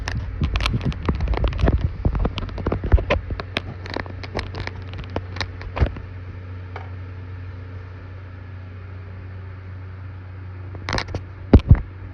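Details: Computer case, owner wonders if heat inside is the cause; low steady hum with slow rhythmic pulse under scattered clicks and taps, sudden weird noise heard while making music videos; rhythmic throbbing hum, cause unknown.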